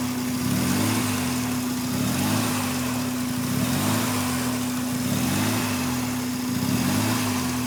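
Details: 1993 RHD Mazda RX7 rotary with newly installed Power FC ECU (wires not cut): idle hunts with a slow, uneven surge about every second and a half over a steady hum; rough idle.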